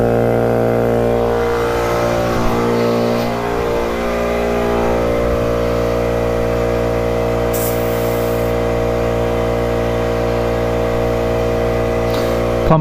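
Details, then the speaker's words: 1971 Yamaha CS200 2-stroke twin ($50 bike, dirt bike tank fitted), warming up: thin, uneven burble with little punch when revved, running on only one cylinder. "it's only running on one cylinder so i'm guessing it's not gonna go that fast but at least we'll be able to ride it"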